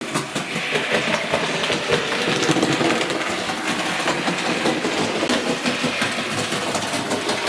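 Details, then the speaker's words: A.H. Peppercorn model locomotive running, also slipping its wheels under load: rapid, uneven clunks two or three a second from a split main drive gear; fixed by fitting a new wheel set. "right what you've just heard that clunking sound is where the main Drive Cog on this locomotive is split and I'm going to show you how to fix it"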